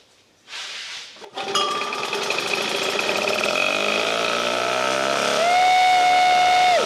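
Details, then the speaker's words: 1952 military DC generator engine, started after fuel tank cleaned and refueled and spark restored (owner thinks it was run dry): rapid, even buzz, no misfires or stumbles; normal running. "once I cleaned the fuel tank and put fuel in it and got spark out of it I was able to start it"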